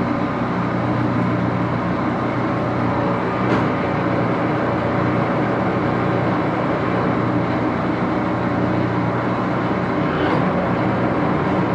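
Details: Axelson 14x30 heavy-duty gear-head lathe, headstock on AW68 hydraulic oil, run through its speeds: steady, even headstock gear whir, no knocks or grinding; loud but healthy.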